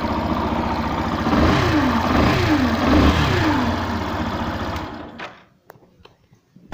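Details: 2016 Yamaha Fazer 150 revving with rhythmic whirring clatter rising and falling with revs; noise disappears when the stator's two-white-wire connector is unplugged; faulty stator, fix is replacing it, preferably with original Yamaha part.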